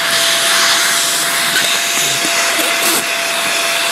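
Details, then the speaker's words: Greenote corded AC stick vacuum (18 kPa, HEPA, bagless), floor head removed, sucking in crumpled paper: steady high-pitched rush with brief flutter as paper is pulled in; healthy strong suction, normal. "It got it. No problem. Plenty of suction on this, so even though it's a stick vac, while it may not do the job of a more established professional vacuum for quick pickups and that, there's plenty of suction here."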